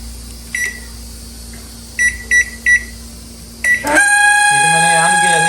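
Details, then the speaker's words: Samsung microwave with cover removed: keypad beeps, then a steady hum with an added whirring drone from the cooling fan. "आप देख रहे इस तरह की आवाज दे रहा है तो कैसे चेक करना है मैंने सो देखता तो मैंने क्या किया य फन में से आवाज आ रही है"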